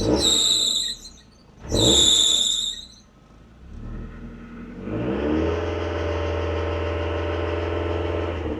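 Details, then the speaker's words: Mazda MX-5 start gives two sharp squeals from the drive belt during cranking, then a steady idle. The belts and alternator had been accidentally wet by a jet wash; the owner suspects water on the belts, unconfirmed. "Okay, I'm going to say that is a positive. It did squeak a little bit, but I think that was just the water and everything coming off the belts."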